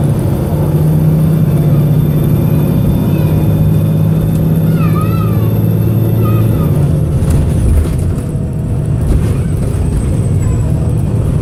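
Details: Arriva North West 3008, a VDL SB200 bus recorded December 2017 from inside, under full-throttle hard acceleration: heavy, uneven diesel rumble whose beat stumbles as the engine misfires, sounding rather unhealthy.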